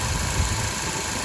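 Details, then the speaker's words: 2012 Ford Focus after replacing the front passenger-side engine mount: steady, even, smooth idle with no shake or lumpiness; previously rough idle and vibration when revving, now fixed. "everything's in place everything sounds good and uh before like i said it doesn't really come out on video too well but you could definitely tell there was a rough idol and uh anyway all fixed"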